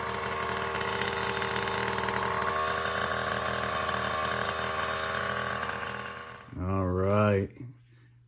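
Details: Primal Raminator OBR 47cc SS reed-case two-stroke just installed with TR/OBR kit, return line eliminated (LoC 5 tank, 2-port grommet); buzzes steadily at high revs, blips up and settles, clean and even; sounds very different from previous GP460 full-mod top end.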